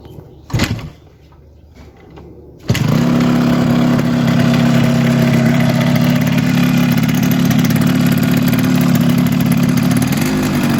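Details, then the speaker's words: Yamaha RX 115 two-stroke with silencer leak, non-original carburettor, idle adjusted high: fast, busy idle above normal rpm with a raspy exhaust note, heard before opening the silencer joint. "তো এটার যে sound শুনলেন সাউন্ডটা সম্পর্কে একটু বলে রাখি সেটা হচ্ছে যে কার্বোরেটরটা অরিজিনাল না প্রথমত দ্বিতীয়ত হচ্ছে এটার যে হাওয়ার প্রেসার বা রেজ বলি আমরা ওইটা রিচ করা আছে"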